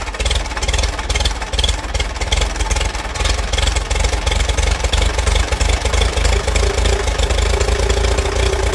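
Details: 1946 Case VAC tractor first start attempt: engine chugs unevenly at low speed, beats stumbling instead of a clean steady idle; running rough, needs cleaning out.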